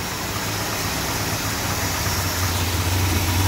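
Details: Freshly rebuilt 440 big block V8 in a 1966 Chrysler New Yorker, first start-up after installation: deep, steady idle with an even lumpy beat, no knocks or ticks; normal idle, settling in healthy.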